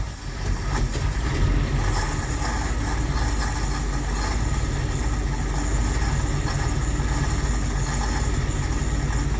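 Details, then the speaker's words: 1959 Ford Fairlane Galaxie 500 V8, long-stored, running on gas poured in rather than its fuel pump: loud steady rumble, even beat, no misses or knocks; running well, carburetor condition unknown. "thing you drink some gas though listen to that I mean it is running really really good"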